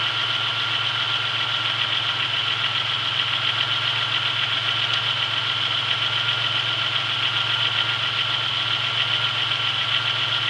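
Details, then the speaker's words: 1996 Chevrolet Beretta with 3100 V6, cold idle after sitting 2 days, days after a main seal replacement with new harmonic balancer and serpentine belt: faint, fairly quick tapping under a bright belt-and-accessory hiss. Light knock, less than before; cause unknown. "seems like it knocks a little less to not as bad as it used to which is pretty good the less knocking the better"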